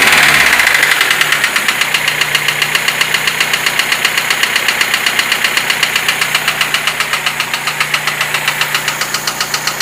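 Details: Lada Niva 21213 at idle: sharp regular tapping about four knocks a second, steady throughout; clear internal engine knock.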